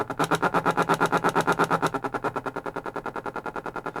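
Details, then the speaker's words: 1940s Stewart Warner tube radio: fast, even putt-putt pulsing from the speaker, about nine beats a second, at any dial position; the set is oscillating on leaky old capacitors, one tested like a resistor. "so what I'm going to do now is flip this in through and it's oscillating if you can hear that in the speaker"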